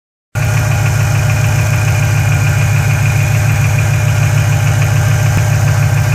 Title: GT500 Ticking noise during normal engine temp